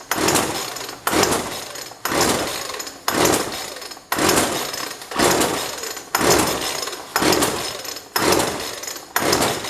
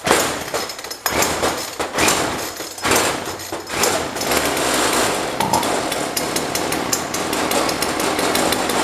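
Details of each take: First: Jonsord 2036 Turbo chainsaw, no primer, choked: rasping recoil pulls about once a second, none catching or even sputtering; no fuel reaching the engine due to a disconnected fuel line. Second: Jonsord 2036 Turbo chainsaw from a neighbour, just got running: stumbles through a few rough bursts, then settles into a steady buzzing run with no misses while left to warm up; running healthy.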